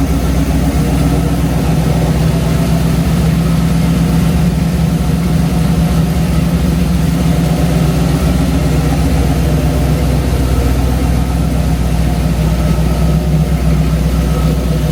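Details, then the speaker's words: Numbers-matching Mopar 340 V8 idling on stock exhaust manifolds on the dyno stand: deep, even burble at a steady lazy idle with no knocks or misses; smooth and healthy. "if you listen to this thing, how it sounds with exhaust manifold, it is so sweet, guys."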